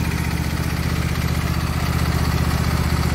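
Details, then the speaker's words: Husqvarna YTH22V46 lawn tractor, Briggs & Stratton engine, stopped moving; drive belt off pulley due to a wood chunk wedged in it: after fix, steady even beat with no knocks or scraping; runs and drives quietly. "oh nice and quiet"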